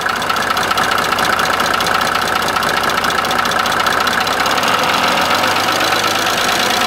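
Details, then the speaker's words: Mercedes OM603 diesel, cold, after oil, filter and both fuel filter changes and a diesel purge: a light, quick tick at about two per second over the idle clatter; ticking at idle, cause not confirmed. "we replaced fuel prefilter fuel main filter and performed diesel Purge and that clicking ticking or knocking sound Remains the Same"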